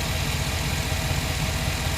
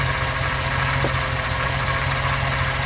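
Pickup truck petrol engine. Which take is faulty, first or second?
second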